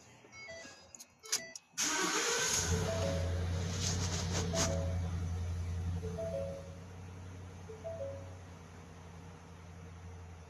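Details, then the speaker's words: 2015 Ford F-150 5.0 V8: starts and settles into an uneven, lumpy idle with a steady stumble and dash chimes, misfiring hard on cylinder 7 with double-digit misfire counts. "Misfiring hard. Cylinder 7. Got double digits."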